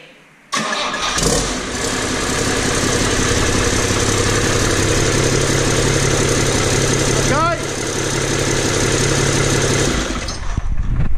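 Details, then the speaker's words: Six-cylinder Iveco turbo diesel in 1942 M3 Stuart tank, in workshop with no exhaust system fitted, getting smoky; loud raw unmuffled diesel clatter at steady revs; engine runs fine, exhaust pipe still needed. "you see what I mean it gets a bit smoky in there don't it we need an exhaust system though"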